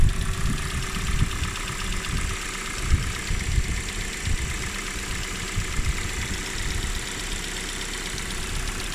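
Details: 2019 Kia Cerato (Forte) BD with Nu 2.0L MPi engine, cold idle on start-up: fast light ticking over the steady engine hum; source not pinned down.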